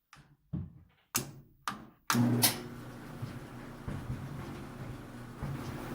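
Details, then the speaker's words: Ten-year-old GE dryer DCVH680GJ1MR stopping randomly: three sharp taps on the control board bring relay clicks, then the drum motor kicks in and hums steadily; bad motor relay, fix by replacing the board or possibly resoldering relay contacts. "I tap this one it'll make it start so here's it does click start and you can hear something click and try to go look everything's clicking if I just do this"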